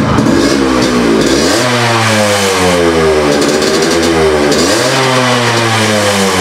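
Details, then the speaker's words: Yamaha RX100 two-stroke motorcycle after the exhaust leak fix and the cylinder refitted: it revs up and settles back cleanly, running smooth, the exhaust a little raspy because it holds no carbon yet. "it's running as smooth as it used to be the exhaust note is little raspy right now because there is no carbon in that"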